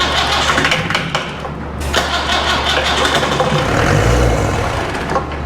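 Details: Old Land Rover 2.25 diesel test-fitted in a Santana chassis: starter churns steadily and the engine catches briefly but never runs; starved of fuel pressure.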